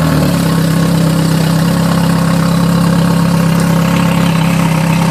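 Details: Yamaha 4-stroke engine: loud, low note with uneven stumbling beat instead of smooth idle; carburetor misfire suspected, cause unconfirmed.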